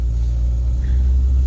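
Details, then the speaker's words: 1952 Chevrolet Bel Air with Powerglide automatic on a road test drive. Deep, even engine rumble pulling steadily; engine and transmission coupling respond well with no hesitation at all. "Alors, elle avance bien. Moteur et coupleur répond bien. Il n'hésite absolument pas."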